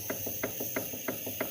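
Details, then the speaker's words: Renault Kwid 3-cylinder engine with head removed: sharp metallic clacks about three times a second as the pistons rock in the bores; all pistons have excess skirt clearance, piston slap, probably from the engine overheating and the pistons expanding. "Imagina isso aqui em alta rotação. Olha o barulho que faz. Provavelmente esse motor aqueceu, né? E dilatou aí os pistões."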